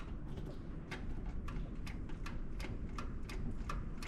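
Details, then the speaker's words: John Deere backhoe with fuel injection pump problems, cold weather: crisp light ticks about three a second over a low steady rumble; the fuel shut-off solenoid is now clicking and working. "I hear that solenoid now, folks."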